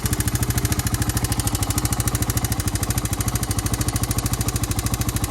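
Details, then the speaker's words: Honda 350X three-wheeler single-cylinder idling after a rebuild with a Wiseco piston kit, with a light, regular tick on each firing pulse. The tick persists after an adjustment; it is valve related and needs a valve adjustment. "it's definitely valve related it needs a valve adjustment"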